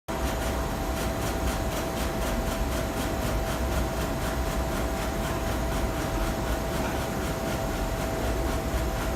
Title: Z-Stage ticking sound